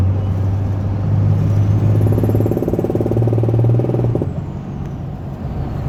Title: Popping noise 6.7 cummins